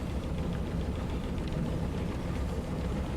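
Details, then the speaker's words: 1996 Dodge Dakota V8 running after oil pump replacement, oil pressure good: deep, steady rumble with an even beat and no stumble or knock; earlier suspected a missing cylinder, but it runs smooth. "I guess I don't know seems like it's running smooth no it's running pretty smooth"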